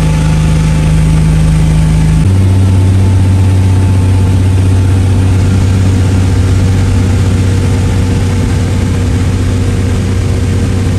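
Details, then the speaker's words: Toyota MK3 Supra, stock-block six on Haltech standalone, hub-dyno tuned to fire every time hot or cold; catches with a brief two-second flare then settles to an even, steady idle without misses or knocks, healthy. "car fires over every single time whether it's cold hot no matter press that button it fires and catches"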